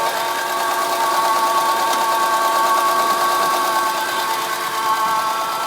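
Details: Acura RSX at idle: a steady high whine sits above a smooth idle without changing pitch. The source is not pinned down; the owner's first guess is the power steering, unconfirmed.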